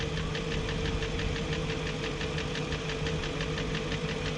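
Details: 2001 BMW E38 740i at steady idle before VANOS rebuild: fast, light ticking about three per second over the idle hum; owner suspects the VANOS unit with the worst seals.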